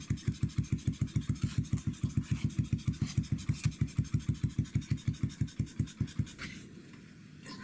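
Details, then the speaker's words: 2009 Skyteam Bad Boy (PBR), 50cc four-stroke single (Honda CT/ST50-type Chinese engine), just started on the first kick, in neutral. Small single thumps slowly, about 200 beats a minute, slightly uneven, then fades; idle too low. "However, she just idling too low, too slowly. So, that's something else."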